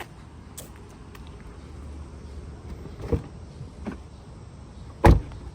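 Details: 2024 Tesla Model 3 Long Range RWD, other door: one solid dull thump with no trailing rattle or buzz, unlike the rattling passenger side with loose trim; normal door close.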